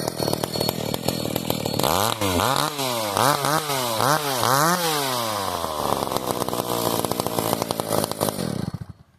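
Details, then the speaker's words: Sachs Dolmar 110 43cc chainsaw, piped and ported, .018 squish, no base gasket, stock filter, about 170 psi compression: quick rev blips that climb lazily. The slow throttle is due to the handle brace being bound, not the engine. "That's why you hear the slow throttle cuz I got my my handle's not quite right."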